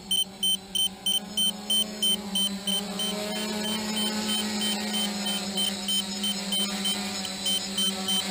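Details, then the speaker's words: DJI F450 quad, 2212/920kv motors, 30A ESCs, 5000 mAh 3S battery, GPS hold hover at 7:15 flight time: rapid high beeps about three a second over steady motor hum; radio low-voltage warning at 10.9 V. "this is my first warning at ten point nine volts so I'm gonna move the camera there very gonna proceed to land on the deck so I'm gonna bring her onto the deck now that we hit our radio warning"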